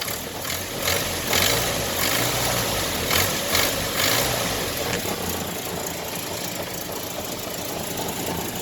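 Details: Truck at idle on first start after fitting a replacement suffix A transmission, oil filler open: a loose, irregular knock at about two per second over the engine note. Cause not yet clear; owner mentions checking oil pressure.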